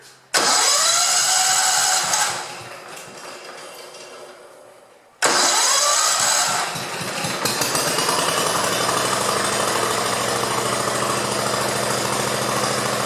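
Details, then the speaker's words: 1969 Sunset Orange Patio tractor, first start after rear end fluid change: two quick cranks, catches and settles into a steady even idle with no knocking; sounds all right. "sounds all right"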